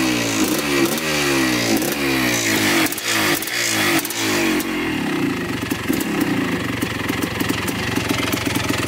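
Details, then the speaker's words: 1984 Yamaha YZ490 two-stroke, newly bought, on a throttle-response check before full warm-up. Repeated blips rise sluggishly and unevenly and the engine bogs. Commenters say these bikes need about five minutes of warm-up to run crisply. "before we take the GoPro ride it took it for a couple laps around the house and it seemed to be a little bit boggy"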